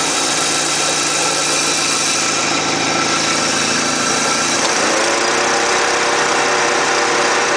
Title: neon radiator and engine noise problem